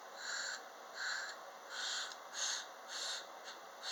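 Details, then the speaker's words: 1948 Ford vacuum wiper motor worked back and forth by hand after fluid was squirted in, not disassembled. Regular soft whooshes of air about every half second with even drag; air moves easily and the unit sounds good, normal operation. "And I don't think I'm going to have to because it's making good noise. You can hear the drag and the air movement."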